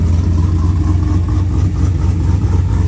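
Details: Truck with customer-tuned engine and transmission, not started for a couple of days, warming up before a rear end rebuild test: deep, steady idle with an even low rumble and no knocks or misses.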